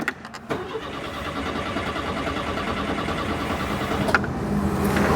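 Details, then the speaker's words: Citroen GSA, air-cooled flat four, with HT leads deliberately soaked by a water spray, then WD-40 applied. Catches and stumbles with uneven firing, never running clean. Misfire and hard start from wet HT leads. "we'll go and soak her with um a fine spray of water and that'll probably upset her again"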